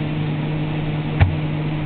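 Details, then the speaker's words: GE refrigerator evaporator fan running on high after ice buildup was melted off with a blow dryer/heat gun: steady low hum and soft airflow, quiet with no buzzing or scraping from ice hitting the fan. "and it's quiet the way it's supposed to be"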